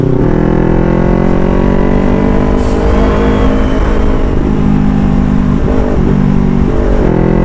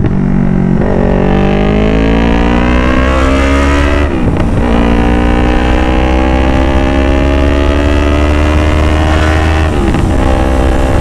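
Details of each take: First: Motorcycle with full-system exhaust after fitting a resonator, riding on the road: smooth deep steady exhaust note rising and falling with throttle, backfire and excessive loudness gone. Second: Yamaha R3 with a full-system exhaust, riding hard: a loud motorcycle pulls through the gears with crackling pops around each shift. There is no backfire at about 60, but it backfires at higher speed with the throttle wrung. A resonator was added to fix the backfire and noise.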